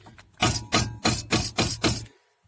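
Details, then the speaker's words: Brake caliper on a Mazda 626 shaken by hand after slide-pin hole repair (thread and superglue on the pin rubber) gives six short dull clunks; only slight play remains at the pad, much quieter than the original rattle. "тут колодка чуть-чуть. Уже так не тарабанит, как тарабанил. Уже намного тише."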